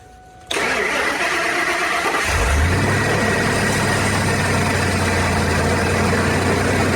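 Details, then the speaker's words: Ford SVT Lightning (2001+) with a used 99-00 Eaton supercharger fitted in place of a failed Jokerz unit, heard from outside at startup: quick catch into a steady V8 idle with no blower whine or rattle; normal operation. "I don't hear any noises right now uh uh huh all right well there it is uh I don't hear it maybe hear the slightest slightest noise but um Far and Away better than what was on there you know soundwise"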